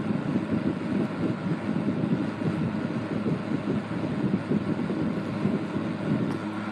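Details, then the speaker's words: 1960s Eskimo model 2012 12" box fan with a repainted motor, running on high: a steady, even whoosh of air with no knock or rattle. It rattles only on medium and low because the shaft still needs spacers. "and on high it doesn't make any sounds but on medium and low it rattles a little bit because uh I need to add some spacers onto the shaft"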